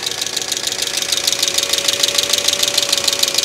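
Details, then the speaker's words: 2005 Mercedes ML350 (W163), bought with no oil, now refilled: fast, even light valvetrain chatter about three per second over idle, quieter than before; owner fears oil delivery issues, cause not confirmed. "it's just this chatter is bad this chatter is really bad"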